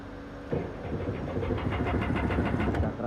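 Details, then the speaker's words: Sea-Doo GTX 300 that had no crank: after a wiring repair it now cranks steadily at about three beats a second but won't start, and a faulty spark plug is found as the cause. "May ano na, nagka-crank na siya pero hindi pa rin siya umaandar."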